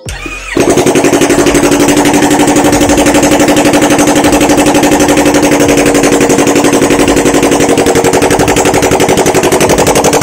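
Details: Yamaha R25 bored up to 280cc after piston, cylinder and bearing damage, running a Power Commander after valve work: starts at once and settles into an even, steady idle with a regular exhaust pulse and no misses; running healthy.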